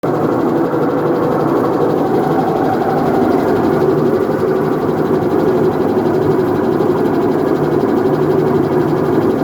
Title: Whirlpool Top Load Washing Machine Helicopter Sound Problem | Washing Machine Noise Issue